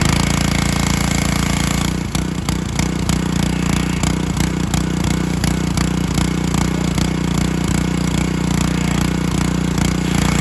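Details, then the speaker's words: Honda GC190 engine on a John Deere HR-2700GH 2700 PSI pressure washer, running after a bad spark plug and contaminated oil were found; steady, even single-cylinder putter with no misses, knocks or surging; normal running. "So I paid 30 bucks, bad spark plug, contaminated oil, air filter was good, no wand, no hose, no tips. So can't complain. Let me start it up. I'll show you how it is."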